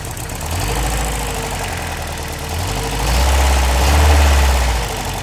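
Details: Toyota 22RE petrol truck engine idling with a loose, marble-like rattle riding over its low rumble; cause unknown.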